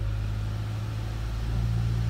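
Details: 2015 Chevrolet Cruze, 31,000 km, after refitting the one-piece coil pack for a cylinder 4 misfire (P0304): a steady, even idle hum with no stumbles; misfire gone, check engine light off.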